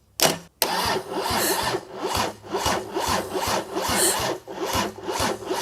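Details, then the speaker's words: Mercedes OM606 diesel sat unused for months, cranking after fitting a new Dieselmeken mechanical injection pump and reworking the ground connection; slow, laboured cranking about two strokes a second without catching; burning smell follows, ground point suspected, not confirmed. "Oluliselt palju pavam."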